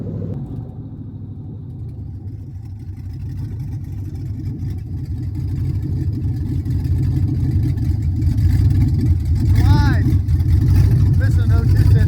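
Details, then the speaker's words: 1975 Suburban with a 6.0 LQ9 V8 swapped from a 2004 Escalade, first start with no exhaust and no cooling system: loud open-header rumble, slightly uneven and lumpy as revs creep up. Runs rough; owner expected it to run weird. "so it's going to run a little weird. There it is. First start."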